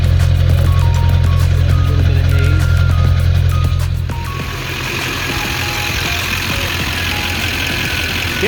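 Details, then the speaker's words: 2001 LB7 Duramax diesel with a sticking number 4 injector idles after a diesel purge. Steady, even low rumble without sharp knocks, music over it. Smoother than before, still slight haze; injectors seem happier. "you know it's idling a lot smoother there's still just a little bit of hazy smoke but seems like the injectors are a bit happier"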